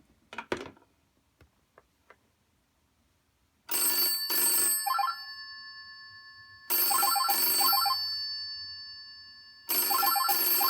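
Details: 1963 GPO 706 rotary dial telephone in Concord blue, triggered by a ring-back test: loud metallic double rings about three seconds apart, clean even bell tone with no buzzing; ringer working properly.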